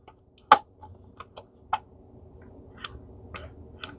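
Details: Sebo Felix ET1 power head, brush roll not spinning: handful of sharp, crisp clicks at uneven intervals from the micro switch that cuts the brush roll motor when upright; switch working normally.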